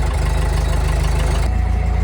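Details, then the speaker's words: Engine of a large Craigslist Hobart engine-driven welder running after fuel line work, with fuel pressure and a little throttle: strong, regular low thumping at a steady speed, no stumbling or knock; runs smooth and healthy. "We've got fuel pressure, it sounds like. Give it a little bit of fuel. Look at that. Like I said, it runs good."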